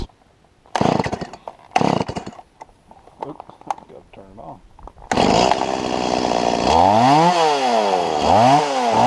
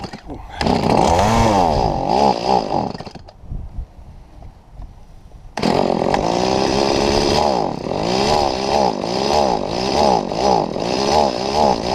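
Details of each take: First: Stihl MS170 chainsaw after lifting the bent-down carburetor inlet control lever about 2 mm to cure bogging: revs up and drops back smoothly, pitch sweeping cleanly with no stumble or bog under throttle; healthy running. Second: Stihl MS170 chainsaw cutting a tree trunk about 3 ft across: revs repeatedly sag and recover while cutting, bogging down under load and dropping to a low idle midway.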